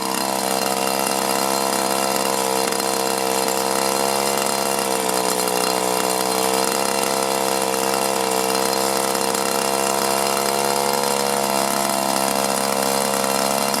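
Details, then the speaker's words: 1983 Echo PB400E two-stroke blower, carburetor never adjusted and fuel filter likely never changed, briefly warmed after two weeks unused; at full throttle the pitch sags and recovers in slow waves, bogging and surging, one of two suspected causes. "And what it is when it's running on full throttle, it'll start bogging down, and then it'll go full throttle again, it'll bog down a little bit and full throttle again."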